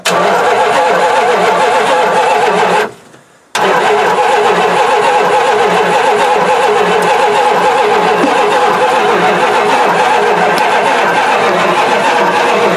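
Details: Mopar 360 V8, not run in three years, throttle was frozen, coil push button held while cranking: even, fast starter cranking for several seconds with a short pause, never fires or catches; cranking no-start.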